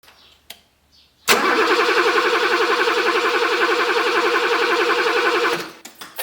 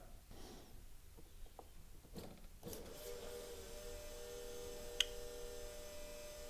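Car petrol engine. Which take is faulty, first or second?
first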